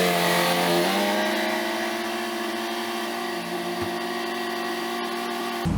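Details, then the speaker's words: 1967 VW Beetle "Ruby", air-cooled flat-four, just given a new cap, rotor and plug wires, warming up on a roughly 40° day. It revs up, settles and revs again cleanly with an even firing beat. Sounds healthy and well tuned. "all right I'm pretty sure you guys can hear that I think we got Ruby pretty well dialed"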